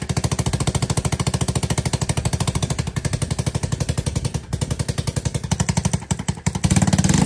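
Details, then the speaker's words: ATK 125 go-kart, small single at steady idle with a homemade welded muffler: loud, sharp, rapid popping on every firing stroke; with added back pressure, fumes are pushed out an exhaust leak, and the owner believes fixing it will quiet it further. "Now that it's got a little bit of back pressure, it's pushing most of the exhaust fumes back up where that leak is. And I believe once I get that leak fixed, this thing will be a whole lot quieter than what it is now."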